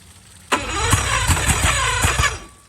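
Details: Marketplace boat, compression about 100-110 on all cylinders, after spraying starter fluid: brief steady rhythmic cranking compressions that never catch, then silence; cranks but won't start, owner suspects a fueling issue.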